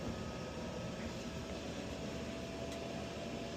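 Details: Two cascaded Lochinvar Knight modulating condensing gas boilers (installed 2007–2008, long unserviced) firing at 100% rate, water near 150°F and climbing; quiet steady hum and fan rush with no bangs or rumbles, normal burner operation.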